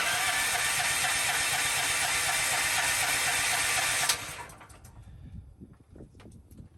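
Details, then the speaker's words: Propane-fueled generator, sitting about 2.5 months, runs fine on gasoline, gives an even starter churn of about four compression beats per second, then stops without firing. "Do I not have this up high enough? I'm stumped. I'll give this a few more tries, and then I'll have to Google what I'm doing wrong."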